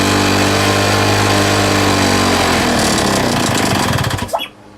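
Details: Lawn mower engine after fitting a homemade big-end bearing shell: it runs unsteadily, with a hunting, lumpy beat, then cuts out; the owner also hears a squeaking leak of unknown location.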